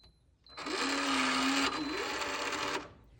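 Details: Schlage Connect door lock: a short, harsh buzzing chatter of about two seconds as the lock motor runs, loud abnormal clicking from the actuator; cause not confirmed.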